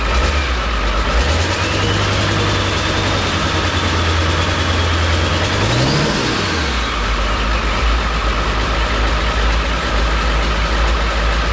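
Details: 7.3 Powerstroke diesel swapped into a 1951 Ford shoebox with standalone wiring, smoky, after struggling cranking: heavy, even low diesel rumble at idle with a brief rev rise and fall, no misses or knocks; normal idle.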